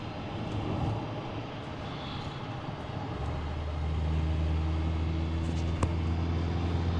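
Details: 2007 Subaru Impreza 2.5i manual, nearly 60,000 miles, driving: road and engine noise with a steady whine coming in partway and holding as the car moves; the transmission is whining, newly started, cause unknown.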